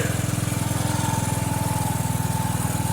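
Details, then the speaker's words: Mower "Filthy" idling after a cold start following about two months unused, oil unchecked, kill wire still unfixed: small single-cylinder engine putting along at an even, quick, steady beat with no misses or knocks; healthy. "Don't filthy run good. No, I didn't check the oil on filthy."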